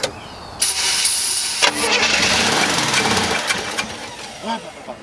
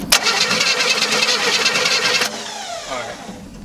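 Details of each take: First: Chevrolet Nova V8 after sitting for years, first start after installing new ignition points and adding fuel: cranks and catches in bursts, then runs with a fairly steady rough rumble before blipping again; starts and keeps running. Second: Old Chevrolet Nova after sitting for years: starter cranks fast and even about two seconds, compression sounds equal, but engine never fires; no spark, fixed by installing new points.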